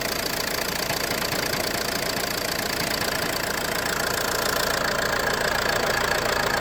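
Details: Ford C-Max engine running: loud, busy sound with a fairly steady knock about three and a half times a second; owner suspects the flywheel, cause unknown.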